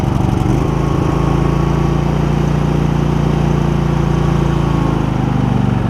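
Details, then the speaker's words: Husqvarna YTH2348 riding mower, 647 hours, after replacing a badly clogged air filter (was rough and hard starting): steady even single-cylinder thump, no misses or surging; running smoothly. "It's just running good. Running really good after I replaced the air filter and added 47 hours to the clock."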